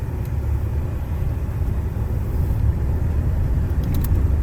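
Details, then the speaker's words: 1988 Buick LeSabre 3800 with about 182,595 miles, service engine soon light on, driving: smooth low even drone, no knocks, clunks or squeals; engine healthy, quiet, decent pull. "she's nice and quiet. This little 3800 got some decent pull."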